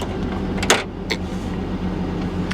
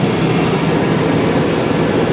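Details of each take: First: 1999 GMC Sierra V8 with 204,000 miles, just started and idling with ABS and brake lights on: a low, steady, single-pitch whine over the idle, a slight power steering pump whine. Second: 1999 GMC Sierra, 5.3 Vortec V8, at idle; valve covers leak slightly: steady, even rumble with no knocks or misses, runs like a top, smooth healthy idle.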